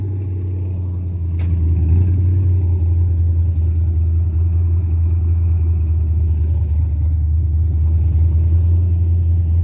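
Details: Carbureted 5.3 LS swap in a Mustang with MSD LS-series ignition: a steady, deep rumble holds well above normal idle with no dip or hunt. It starts and dies and idles fast; carburetor, timing or vacuum leak suspected, not confirmed.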